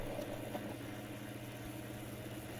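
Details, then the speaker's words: Brand-new crypto-miner cooling fans from the same batch: a steady motor-like whir with fixed tones over a low hum, loud and rough. Bad fan bearings suspected, replacements requested. "I was like can you guys send me some new fans I think these bearings are bad"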